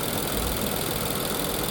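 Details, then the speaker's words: 2020 Infiniti QX60 at 95,882 miles with misfire codes P0300/P0304 and an oil consumption problem. During a scan-tool power balance test deactivating cylinders (suspected cylinder 4, then 2), the idle has an irregular stumble and the RPM drops. "So you can hear that misfire. We can see how it's dropping the RPM."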